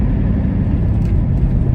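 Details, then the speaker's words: 2001 Mustang Bullitt V8 on its first drive with a JLT cold air intake and VMP tune, at about 25 mph in the neighbourhood. Steady, deep, even rumble with no knocks or whine; it runs smooth and healthy. "So yeah, it's running good. I'm back in my neighborhood still, so 25 miles an hour is supposed to be. So running smooth. Sounds good."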